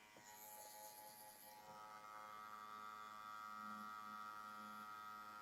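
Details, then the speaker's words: TATVIDA rotary tattoo machine at about 9.2–9.6 V with higher-membrane-density Edge Pro cartridge: steady, even buzz, constant pitch, no rattle or wavering; normal running. "Donc pour ceux qui bossent, ouais, encore une fois, là je suis à 9.2, 9.6. Le bruit est correct."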